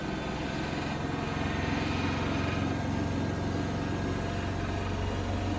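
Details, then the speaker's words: Bosch WFP3300 washer with new bearings, bearing seal and door seal, spin climbing through the revs: steady drum roar with light buzzy rattle changing frequency as revs climb; owner suspects some panel rattling. "Makes interesting different rattling noises as it moves up through the revs. I don't think that's still 1600. I think it makes a bit more noise, or a bit a different frequency of noise."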